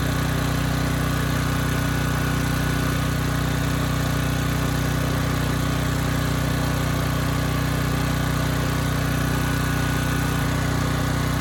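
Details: Briggs & Stratton Elite Series generator (model 030471-01), stored 5+ years and repaired from 35 V to 120 V output: constant, even drone that never hunts or sags under a 3000 watt load; normal running.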